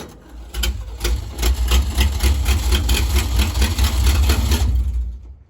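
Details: 1957 Chevy wagon V8, off the road 30 years, in neutral with choke: catches and runs rough and uneven for a few seconds on a fingertip of fuel in the carb, then fades; runs only briefly on carb prime.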